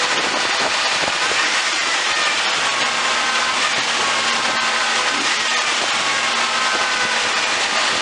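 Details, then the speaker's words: Jeep: engine holds a steady raised speed with busy hiss and rpm never drops, won't stall; idle racing until left to sit, cause unknown. "so as you can see it wouldn't stall because the engine was just racing"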